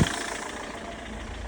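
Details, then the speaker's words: Citroen C5 diesel at about one degree, just after a hard start with five glow-plug cycles: loud, harsh, clattery uneven idle that sounds like it's trying to self-destruct. "So once it eventually starts, I mean, don't get me wrong, it sounds terrible. Almost like it's trying to self-destruct."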